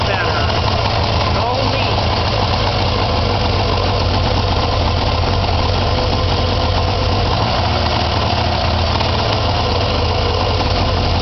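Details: Arctic Cat Puma two-stroke snowmobile idling steadily on choke right after the exhaust system was reassembled to fix an exhaust leak; even, sealed-sounding exhaust note, normal idle.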